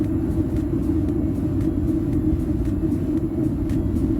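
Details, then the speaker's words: Atwood RV water heater on an Airstream after soot cleaning and air-mix correction, test fire with mostly blue flame; smooth, steady low roar with no popping, pinwheeling or whistling, normal burner operation. "it's not popping there's no pinwheeling that sounds smooth and it does sound smooth much happier with the way that sounds"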